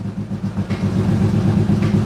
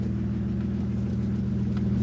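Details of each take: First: BMW E85 Roadster just after starting: idle with uneven lumpy pulse, beat stumbling now and then instead of holding steady; rough running with a brief misfire expected to clear. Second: BMW E85 Z4 roadster, stock engine, after new fuel pump install, idling after an initial rough misfire cleared: low even idle rumble, steady beat, no misses, knocks or ticks; running smoothly.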